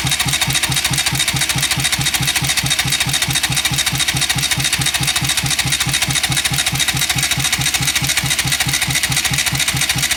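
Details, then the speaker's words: Bajaj Rouser NS200 motorcycle cranked in neutral with spark plugs removed to check oil flow and engine noise; even starter churn about 140 beats a minute, no knock or grinding; oil rises slowly but does rise; normal cranking. "ruido no hace aceite tardón subir bastante para mi gusto pero sube"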